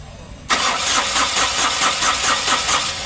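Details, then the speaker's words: Ashok Leyland Dost diesel after an engine rebuild for a broken crankshaft; DTCs P0641 and P0192 will not clear. Steady starter cranking at about four compression beats a second for nearly three seconds, never catching. Diesel is not reaching the pump output; a system fault is suspected. "देख सकते हो diesel नहीं आ रहा"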